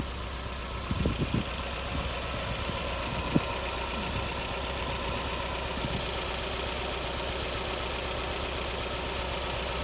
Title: MX5 Misfiring - Head Gasket issue